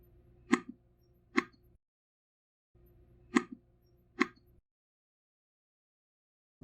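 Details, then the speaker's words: iPhone 7 Plus whose taptic engine had a vibrated-loose screw, after reattaching it and replacing the screen: crisp, deep paired thunks with no buzz or rattle; normal vibration. "after tightening the screws and reconnecting the finish display i'll make sure the taptic engine is still secure this is the nice deep thunk sound that it should have when vibrating"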